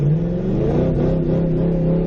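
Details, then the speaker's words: Ford Crown Victoria Police Interceptor (P71) floored with failed automatic transmission: engine howls and revs freely with no drive engaging; transmission slipping, owner on third transmission. "your transmission it's gonna fail not once not twice help I'm by my third transmission so far"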